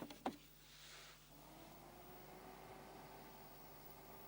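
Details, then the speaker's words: Amiga 600 fan slowed with a 27 ohm half-watt series resistor, cover back on: faint steady low hum with a soft higher tone, no rattle or buzz, barely audible; normal quiet fan. "now that sounds just right actually you can hear it just subtly when you like you know don't move but it's fine it's over the microphones"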